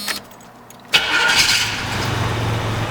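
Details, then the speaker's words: 1985 Jeep Cherokee Chief two-door, carburetor probably rebuilt, new exhaust: quick crank, catches at once and settles into a steady, even idle; normal cold start. "starts right up carburetor is in great condition I think it was rebuilt the engine sounds great it runs really well it's got a new exhaust on the thing man Idol's great"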